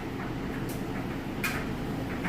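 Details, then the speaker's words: Kenmore electric dryer on timed high-heat drying with heavy jeans and towels: a steady motor hum under soft, irregular thumps of tumbling clothes, with no knocking, wobble or imbalance. Normal tumbling. "smooth operation you can hear those clothes tumbling around but what you want to do is to make sure that there's no knocking or kicking or wobbling or off-balance or all that stuff gets check the dryer"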